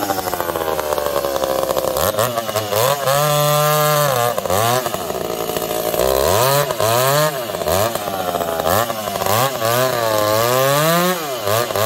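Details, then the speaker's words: Two chainsaws, a 366 and a 70-series, cutting: screaming and bogging, revs wandering up and down with popping, 366 lean, other swinging lean to rich; fuel suspected, cause unknown; erratic lean running. "you can hear it the 366 is lean the 70s all over the place it's lean it's rich it's popping and farting"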